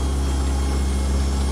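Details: Newly installed 1 HP Waste King garbage disposal (replacing 1/2 HP Badger) running as the hot-water sink drains during leak check: steady deep hum at one even pitch, no grinding or rattle; runs normally.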